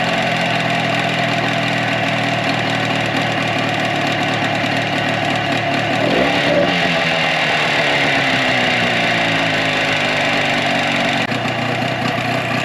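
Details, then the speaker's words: 2004 Tohatsu 9.8 two-stroke long-shaft outboard after general maintenance: buzzy, slightly lumpy idle at three to four beats a second. One cylinder was thought dead; pulling plug boots while running showed both fire; normal idle. "what you guys saw me do there is I pulled the spark plug booties as the motor was running. Because to me at first it sounded like it wasn't hitting on both cylinders, but it was."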